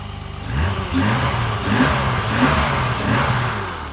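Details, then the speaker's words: 1985 BMW 635CSi E24 automatic, first run after 12 years sitting: smooth throttle blips rising and falling cleanly with no misses, knocks or hesitation; normal revving. "she's running beautifully let's see if a decade of sitting healed this auto trans or not man this thing runs good"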